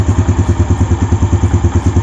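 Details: Yamaha Jupiter Z1 motorcycle after fixing loose cam chain tensioner that caused ticking on the left engine side: steady even low thump at idle, about eight pulses a second, ticking gone; engine sounds healthy.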